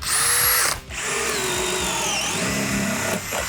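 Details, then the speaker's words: Cordless drill, shown for comparison as the bigger drill on one battery bar, driving a 3/4 inch paddle bit through a 2x4: strong, steady high motor whine holding speed with no bogging or cutting out; normal drill under load. "That's what a drill's supposed to do."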